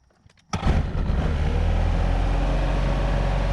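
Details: Bobcat 873 skid steer diesel after fuel pickup repair; tank found full of debris and old pickup tubes, cleaned, hole plugged, old filter kept; cranks briefly, catches and settles into a steady, even low rumble with no stumbling or stalling; running normally.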